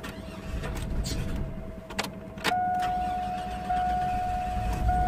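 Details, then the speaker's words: A few clatters of cranking, then a Chevy Blazer/GMC Jimmy 4.3 V6, just after head gasket replacement, catches and settles into an even idle with a light steady whine; restarted after stalling from an unplugged PCV valve; normal start and idle. "it turned off because I unplugged the PCV valve but just cranked it again"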